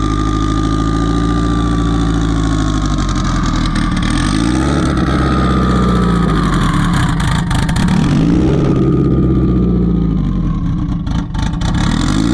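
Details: Turbo car on E98 fuel, runs rich on the low end, kept under 4 psi. Loud, uneven idle that lopes and wavers with irregular surges; tune made for a 6466 turbo with 1.05 housing while a Precision 7675 turbo is fitted.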